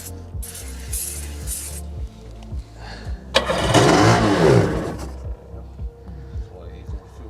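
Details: 1996 Sea-Doo HX 717cc, unused since about 2017: starter spins it in steady pulses with a brief sputter, never catches; gummed fuel lines and carburetors suspected.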